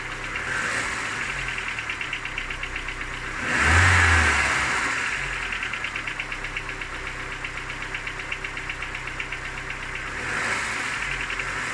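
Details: Cold engine at smooth idle with steady light ticking knock about four per second; knock fades with warm-up, gone at 90°C; hot compression 11 in all cylinders; cause unknown, owner asking.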